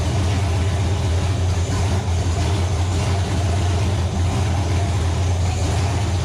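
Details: Nova engine after six months of troubleshooting: loud, steady, deep exhaust note with an even beat and no misses or knocks. Runs cleanly; a gauge suggests a possible wiring issue.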